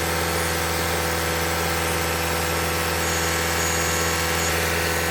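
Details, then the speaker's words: 2021 Toyota Camry Hybrid, 100,000-mile service, running to bleed air after changing engine and inverter (power control unit) coolant; about 5 minutes in, radiator fan kicks on for the first time; steady, even fast-idle hum with smooth fan whoosh; normal running. "Our fan just kicked on for the first time. Probably been about 5 minutes."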